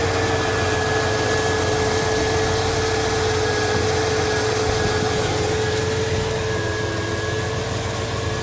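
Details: 1983 Buick LeSabre wagon LT1 swap, idling after a faulty part was replaced: steady, even idle with constant low hum and faint steady whine; no misses, knocks or hunting, engine healthy.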